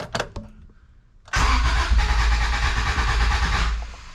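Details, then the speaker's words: Honda Civic, first start after brake work: starter cranks the engine evenly and rapidly for two seconds but it never catches; not getting fuel, cap and rotor suspected; crank no start. "All right, so slight issue. Car cranks but doesn't start."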